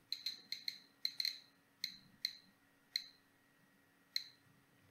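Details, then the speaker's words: Homemade Geiger counter held to an autunite uranium mineral sample: sharp irregular clicks about two per second at random spacing over a faint steady hum; counter responding normally to the radioactive sample. "das ist ein uranmineral das heißt das Neueste was ich habe und man kann sehen ja das tickt dann schön"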